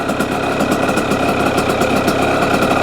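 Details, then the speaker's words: Brand new 2026 Yamaha YZ85 two-stroke that was running rich and fouling plugs: crisp ting-ting idle holding steady without dropping or loading up; clean, healthy idle. "That's a good sound, a better sound. The idle doesn't drop down uh as much as it did."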